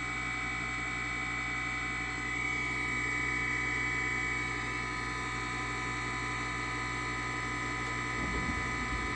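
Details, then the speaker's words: Trane XR90 furnace that blew cold air with no heat: draft inducer motor runs with a steady, even hum and constant high whir, no knocks or scraping, before ignition and before the blower starts. "Okay, I have my inducer working, and no blower fan is blowing yet."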